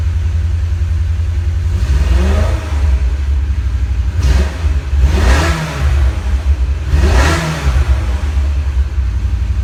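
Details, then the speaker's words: 2002 BMW E46 M3: idle with several throttle blips over an uneven stumbling beat, sounds weak; owner suspects a miss from a bad plug wire or similar, running on seven cylinders, plugs to be checked; cause unconfirmed. "a little bit of Miss usually stay like that know what's going on you have a bad plug wire or something you get that a little miss it sounds weak when we run out in seven cylinders right now"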